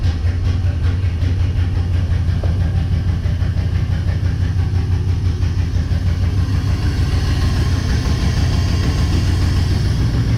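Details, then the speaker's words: Chevy engine started after letting the fuel pump run for a minute: it catches and runs unevenly, with a lumpy, irregular beat instead of a smooth idle; it is running rough and the cause is not yet known. "so in five four three two one well that was kind of sort of running"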